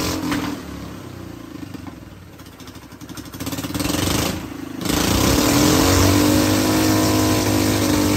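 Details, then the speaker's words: Hydrogen engine with diesel replacing the water injection, at operating temperature and full RPM with hydrogen barely at 1 PSI, running mainly on diesel: uneven stumbling and popping, a lot of spluttering, less vibration than before, then smoothing to a steady hum. "That was mainly diesel power. what we just saw there. Um, a lot of spluttering, less vibration than there was before."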